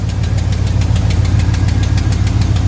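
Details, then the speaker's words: Bodyswapped 1975 Ford truck body on a 2004 Cadillac Escalade 6.0 V8 AWD chassis, first start after sitting years on old gas with a boost: heavy even V8 idle with a light regular puffing tick, owner suspects an exhaust leak; otherwise running smooth. "After got an exhaust leak over here, it sounds like."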